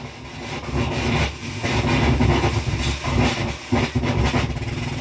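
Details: H.H. Scott 350C tube FM stereo tuner at lower dial frequencies: hissy, crackling static with signal surging and breaking up; dusty tuning capacitor, probably from years unrotated, remedied by cleaning the capacitor and pivot points.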